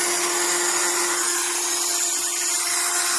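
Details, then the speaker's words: HARDELL 12V cordless mini rotary tool (6 speed settings, max 30,000 rpm), about 30 days old: high steady motor whine with a rough, gritty edge. The motor grinds and the tool sometimes quits working entirely. "The motor is just, like I said, it grinds."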